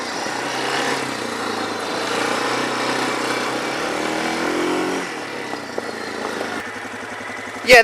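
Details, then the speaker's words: Quad with automatic transmission, ridden: steady engine drone under wind and tyre noise, rising and easing with throttle, no misses or knocks; found not actually broken, normal running. "thing is fine there's nothing wrong with this I like this thing with the automatic it's nice you'll have to shift or anything all you gotta do is hit the gas"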